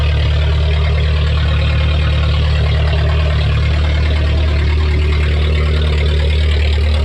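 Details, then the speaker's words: Junkyard VW Golf 3 (Pink Floyd edition) idling to warm up, not yet at temperature, with no exhaust fitted: very loud raw blatting idle, deep slightly uneven pulse about three per second; later stalled. "i don't know if camera does it justice but i'm literally screaming this car is so loud but it's kind of sick"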